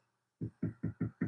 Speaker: Hear that? That's kind of a thud. When it starts to ring just a little bit, you hear sort of a ringing sound. That's when you know that you actually gotten thin enough that it's now making a tone. So, as long as I hear that thud, that means I've got a little bit more to take off.